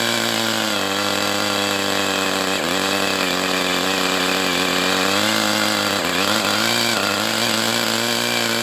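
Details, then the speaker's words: Brat 28 model glow engine running hot, compression still present: a steady, very high, thin whir with a slight sag, then it dies. Owner suspects some internal drag. Cause unconfirmed. "It's just like there's some kind of drag somewhere because you have this really high-pitched whirring sound."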